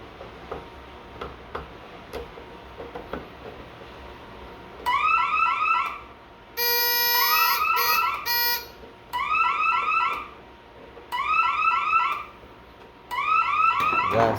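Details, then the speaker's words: Bosch/Radionics 4012/8012 security panel demo, loop eight warehouse smoke zone tripped: repeating rising-falling warble fire tone in about one-second bursts with short gaps, siren relay clicking on and off; fire alarm signal. "We'll start with loop eight, which is warehouse smoke, and this will be a warble tone, um, which will be fire."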